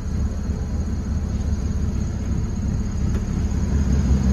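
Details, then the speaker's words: Honda Civic after the idle issue was fixed by adjusting the throttle body idle screw: a steady, even low rumble with no hunting or surging at about 1000 rpm; normal idle. "but yeah i think it's safe to say their idol issue has been solved guys for now for the time being"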